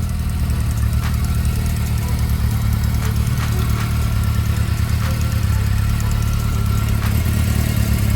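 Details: Honda CB400 Spec 3 idling with faint, soft, irregular light ticks over the low engine drone; top-end ticking, cause not identified.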